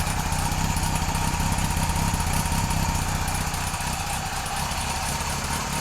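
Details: Kawasaki KZ police motorcycle on its stand, started with no choke, fuel delivery redone, charging not yet confirmed: smooth, even four-cylinder idle, a fast steady sewing-machine patter with no misses or hunting. Running healthy.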